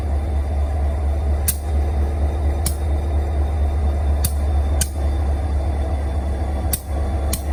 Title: Union Pacific SD40-2C Locomotive Idling (interesting popping sounds)